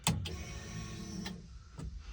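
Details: Turbo Coyote-engined Fox-body on first start: fuel pump primes with a steady electric whir lasting about a second, then a clean stop; the lines sound full and the pump is normal, while the pressure gauge reading is doubtful.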